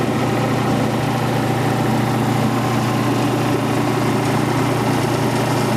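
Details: Quincy Model 325 compressor with rebuilt lower end and new starter, pump on the tank. Inspection plate and shims were siliconed against water ingress. Test run at 18-20 psi oil pressure: steady, even pumping drone, no knocks or rattles. Normal running.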